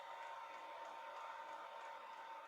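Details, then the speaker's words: Newly installed Thunder Jet diesel air heater on a boat, warm (about 180–190°, exhaust 220), turned down to minimum: steady even blower whir winding down, no rattle or scrape; airflow unchanged, healthy. "I don't know if the camera is picking it up but you can hear it winding down flow of air out of the vents is about the same shut that down"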